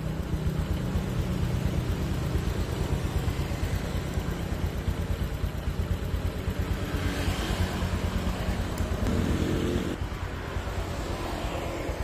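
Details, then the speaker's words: Honda Supra X 125 (KPH) with exhaust refitted after new piston rings and valves for white smoke: quick, even single-cylinder idle putter holding steady; smooth and healthy, no longer smoking. "Nah, ini lumayan halus ya mesinnya tuh. Ini udah enggak ngebul."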